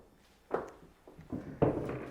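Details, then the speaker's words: 2008 Toyota Highlander door swung open: two dull clunks about a second apart, a loose knock at each detent. Worn door check strap; the mounting nuts were checked and are not loose. An annoyance, not a safety issue. "that is from the door check so let's look at that one thing that is very common on these is a door check"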